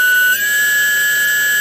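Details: Model-airplane brushless motor driven by an ESC on a battery, STM32 Nucleo L476RG PI RPM controller stepped to a commanded RPM: clean high whine rises briefly in pitch, then holds steady at the set speed; normal.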